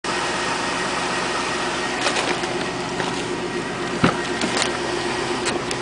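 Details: 2000 Chevrolet Tahoe LS 5.3 V8, 131,000 miles, cold start idle: steady light knock under hissy hum with sharper clicks, louder when cold, goes away when warm; owner suspects piston slap.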